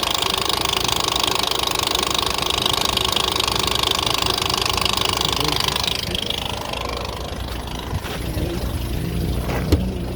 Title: Nissan ticking sound, Can anyone if this very bad?